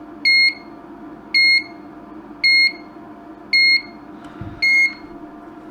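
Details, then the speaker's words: Broken LED dot-matrix scrolling sign (5 V input) while measuring VCC into the board: sharp high beep about once a second, nonstop; owner suspects a supply voltage drop and wires it direct to the bench power supply. "it almost seems almost seems like a voltage drop so I've got this wire just running direct into the bench power supply"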